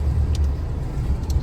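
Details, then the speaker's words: 1961 DeSoto 60,000-mile survivor V8 running off a remote fuel pump setup, fired up a day after first being started: low, even rumble with a steady beat and no knocks or misses, with a fan possibly running under the dash; normal idle. "There we go, she fired right up. Look at that. You're running great. I love it."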